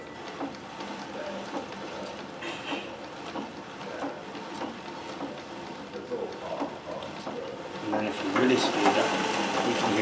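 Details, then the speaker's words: Singer 411G treadled with a custom heavy balance wheel, running unthreaded: soft, even running with light stitch ticks at about two per second; gears smooth and nearly silent, like a 201. "that's an amazing machine isn't it absolutely quiet"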